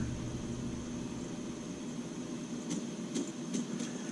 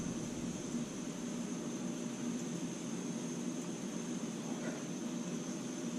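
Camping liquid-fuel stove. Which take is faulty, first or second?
first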